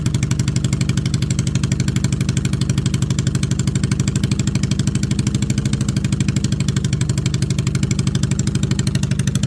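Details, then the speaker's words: 2002 Yamaha V-Star XVS 650 V-twin after sealing carburetor and fuel petcock leaks: steady lumpy idle, about three firing pulses a second, even with no stumble; no leaks. "got the carb sealed it's not leak got the fuel petock sealed it's not leaking um mean the bike is running"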